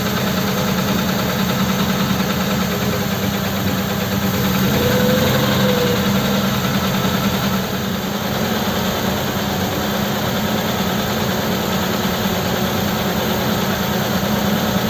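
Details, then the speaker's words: Ford 8BA flathead with Holley 94 carb, cold engine, choke off after a full-choke start: revs rise unevenly and raggedly with occasional stumble, messy rather than clean; carburation suspected. "okay it's got no choke now doesn't seem clean as the revs come up it's a bit messy it isn't hot yet though"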